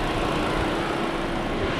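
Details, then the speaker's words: 2013 Chevrolet Spin LTZ, petrol, manual, bonnet open: smooth, even idle hum, no ticks, knocks or surging; engine very smooth, no blow-by, engine bay dry, healthy. "nah ini untuk suara mesinnya masih sangat halus sekali bagus tidak ada sok keluar dari sini dan mesinnya juga sangat kering"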